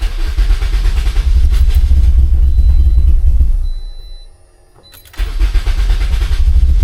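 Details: Turbo Toyota Corolla with the fuel pump audibly priming, engine catches and runs rough then dies and is cranked again; wants to start but won't stay running, owner suspects little or no fuel, with no check engine lights.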